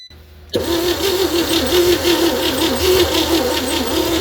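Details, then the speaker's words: 1960 Chevy C10 235 six after 40 years sitting, on booster and charger, spark confirmed: steady cranking about three compressions a second, never catches; owner suspects weak compression, blow-by, unseated rings; cranks no start. "Well, it's trying to fire. I think our compression is just so weak. We're gonna have to just crank it to warm it up a bit."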